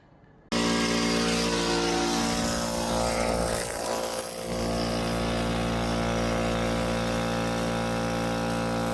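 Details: Central Pneumatic air compressor filling its tank right after its leaky drain was replaced with a new valve, hoped to be 1/4 NPT: loud steady motor drone and even pump chug, no knocks or squeals. Normal run.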